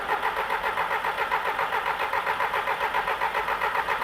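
Even starter churn with regular compression pulses, about four per second, with no firing; cranking sounds healthy and consistent.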